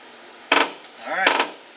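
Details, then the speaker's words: 1972 Chevelle SS long-sitting door being forced open after releasing the inside latch: two sharp knocks, then a rising dry creak as it swings; stiff, unlubricated hinges. "yeah you can hear those hinges are not happy"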